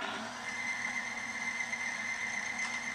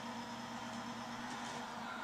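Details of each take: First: Timken bearing friction test rig run with a power steering fluid from a bare, dry start. A steady high screech with a rough metallic edge over a constant drone, and the rig starts smoking: the bearing is scuffing under heavy load. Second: Timken bearing friction test rig loaded, running on SynMax racing power steering fluid. It gets quieter to a low, steady hum with a faint even tone and no grinding or roughness: a normal, quiet bearing run.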